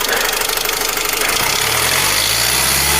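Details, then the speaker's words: Kia Seltos at cold start: busy metallic rattle that fades after a few seconds and returns when accelerating between 1,000 and 2,000 rpm; worn timing chain needing replacement. "छोटे जब मैं गाड़ी start करता हूं तो engine से rattling sound निकलती है कुछ सेकंड बाद गायब हो जाती है"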